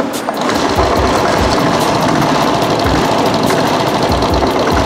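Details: Royal Enfield single-cylinder at an even idle thump with steady valve chatter on top and no heavy crank knock; it sounds healthy.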